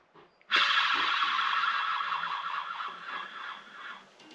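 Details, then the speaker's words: Worn 3800 engine torn down: crankshaft spun gives a rough high-pitched howl rising then fading from a worn main bearing, due for replacement; crankshaft pressed out. "car vous remarquez qu'il était temps de changer le roulement"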